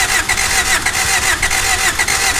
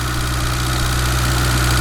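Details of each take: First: 1991 Honda CRX Si barn find, sat over 10 years with a seized engine now freed, first run on fresh fuel: rough, lumpy, stumbling running on two cylinders. Both plugs show spark at the cap, so two stuck fuel injectors are suspected. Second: 1991 Honda CRX Si barn find after 10+ years sitting, after tapping two stuck fuel injectors with a small hammer to free them: steady, even idle with firm low hum, no misfire stumble; revs cleaner but still slightly rough burning old fuel out.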